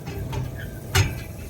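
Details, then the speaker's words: Trane commercial rooftop package unit, blower idle and turned by hand: dry metallic scraping and a sharp grating clunk where the blower wheel or bearing rubs the housing; the bearing looks okay. "that's a bearing or a wheel or something and you can kind of see where it's rubbing"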